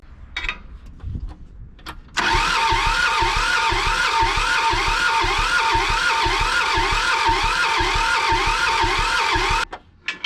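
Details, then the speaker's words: John Deere 650 subcompact tractor, two-cylinder Yanmar diesel, sat 15+ years, injection lines cracked: even starter cranking about three turns a second for seven seconds, never catches; no fuel from the front injector line. "I'm not getting any fuel out of the that front line okay we need to try and get fuel out of from both injection lines"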